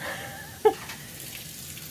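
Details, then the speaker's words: Washer after reassembly in a repair, test run on a real load of laundry, fill side untouched during the repair: soft even rush of water filling the drum after one brief clunk; filling normally. "it's filling fine but I didn't do anything to the filling so I guess I'll come back and check and see how it is later"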